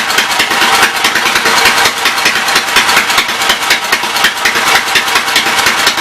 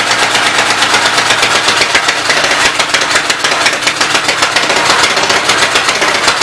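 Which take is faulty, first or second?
second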